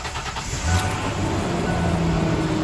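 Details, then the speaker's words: Ford Ranger after repairs for P0171/P0174 lean codes, including resealing the fuel rail to lower intake gasket, computer reset by battery disconnect: first start catches quickly into a steady, even idle with no hiss or stumble. "sounds really good roll the windows down I always try to roll the windows down anytime if far running they don't lock the keys in but I don't hear any major problems"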